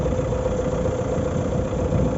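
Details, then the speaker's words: 2019 Renault Megane IV 1.5 dCi K9K 872 diesel, warmed up after about five minutes: steady, even rumble with no noise from the front pulleys; the cold-weather noise was caused by a faulty crankshaft damper pulley, since replaced. "не слышим слышим только рокот двигателя"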